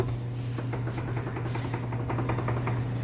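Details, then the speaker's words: Honda, suspension shake-down with wheel rocked at 3 and 9 o'clock: quick rattling clunks each rock over steady shop hum; most likely a loose tie rod end. "I'm sure you can hear that noise it is most likely gonna be tie rod"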